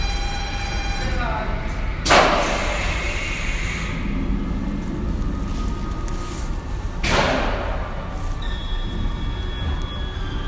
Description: スペースワールドにあった屋内コースター、ブラックホールスクランブルの発車時のブザー及びブレーキの開放音です。